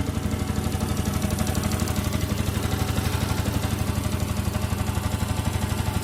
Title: R15 v2.0 yamaha engine sound problem